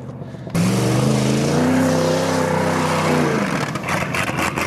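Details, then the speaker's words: Buick Roadmaster V8 low on gas: revs up with a rising note, holds briefly, then falters and drops off around three seconds in; running out of fuel, stumbling and losing power. "oh yeah she's running out of gas"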